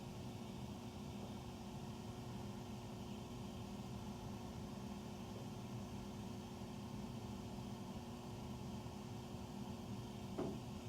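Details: Furnace running after 10 PM, very loud steady low drone with faint tonal hum heard through the main duct across three levels, recorded in the utility room; tiny water-dripping noise between, cause unknown.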